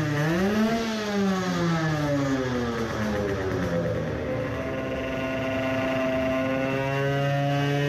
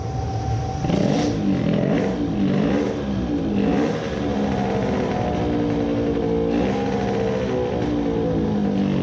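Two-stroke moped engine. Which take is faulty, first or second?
second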